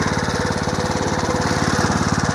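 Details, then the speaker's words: Home-built 1/3 scale mini hay baler as stationary hay press, small engine idled down: quick steady chuffing beat, plunger cycling evenly as hay feeding starts; working properly. "Okay, the plunger's working, and then all you got to do, you start feeding hay"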